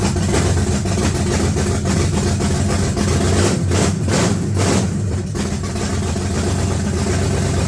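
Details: S-10 with freshly swapped engine, no radiator or alternator yet, running loud and uneven with irregular pulses and a few revs; still needs tuning, ignition timing not set since the timing light isn't working.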